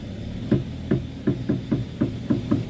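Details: Front wheel of a car such as Avanza/Xenia/Innova/Rush/Terios: sharp hollow tek-tek knocks, three to four a second and uneven, while the steering is turned; worn tie rod end clunking, noise also over bumps and potholes.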